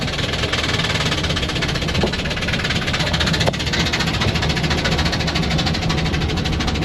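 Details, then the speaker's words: Car starting and idling with sharp, rapid ticking in time with the idle over a steady rumble; a lifter is turned sideways in its bore and the engine needs replacing. "That noise. That noise is a lifter turned sideways and the lifter boards."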